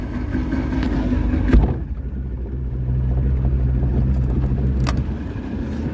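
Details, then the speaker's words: Boat after rain: low, uneven idle rumble with a droning tone; it barely engages gear and won't speed up, though reverse works. Cause unclear. "Well, it rained great there for a few minutes, and now it's acting like it doesn't want to engage in gear, and it's making this noise while it's idling."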